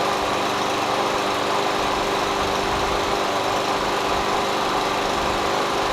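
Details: MTD Yard Machines push mower with Briggs 550EX Ready Start auto choke, after carburetor cleaning (previously surged and ran rough, lost spring replaced by guesswork): steady even speed, smooth unbroken note, no misses or surging; normal running.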